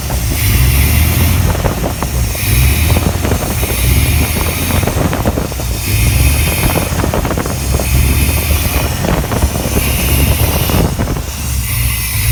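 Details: 1987 Chevy Silverado K10 350 with a rough idle that surges, the revs hunting up and down about every two seconds over wind rumble, gaining and losing power; cause not yet found.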